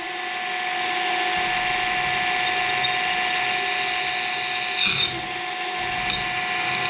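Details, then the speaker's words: Worn home-workshop milling machine drilling hardened steel for a moped dry-clutch build: steady high-pitched screech and harsh hiss over spindle whine; the bit cut but made a nasty noise and was ruined after one use. "No tämä oli hyvä poro sehän pysty siihen aika pahaa ääntä piti"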